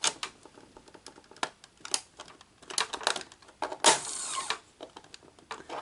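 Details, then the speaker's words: Sony SL-HF550 Betamax VCR after repairs, cassette loaded, powering up: sharp solenoid clack amid light mechanical ticking and brief whirr as deck powers up; now sounds as it should, solenoid activating normally. "so if we hit power now it now sounds like it's supposed to um the solenoid activated but uh you know"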